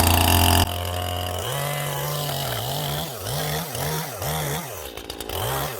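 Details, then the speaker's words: Stihl MS181C two-stroke chainsaw after a carburetor rebuild with a cheap kit on its aftermarket carb (before repair it ran rough, low on power, then wouldn't start). Crisp buzz blipped up and down about every half second, revs climbing sharply and settling to idle; running healthy. "that's her one still up and running again it'll keep me cutting get about a firewood now for the winter time"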